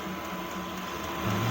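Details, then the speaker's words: Chinese 8 kW diesel air heater on its second start attempt with a battery charger connected after a weak battery failed the first: pump pulsing, blower humming and glow plugs on, the tone climbing as it ramps up normally. "Pumps pumping, blowers going, glow plugs on. It's ramping back up again."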